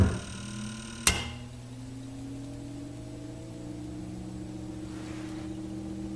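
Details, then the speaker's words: Cinematronics-style clone arcade game during power supply repair, fuses reset: brief buzzy vector chatter from the vector monitor chassis, then a sharp snap as the second breaker trips, leaving a low hum. "so something happened that was the second breaker going but that noise you heard was we briefly got vector chatter coming out of the monitor"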